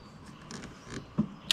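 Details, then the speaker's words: 1972 Mercedes-Benz 280SE 4.5 (W108), Bosch D-Jetronic, ignition on: throttle slowly opened fully and closed gives 20 faint, crisp distinct clicks; throttle position switch working properly, checked over a driving stumble. "there you go completely open and closed so the throttle positioning switch is functioning properly"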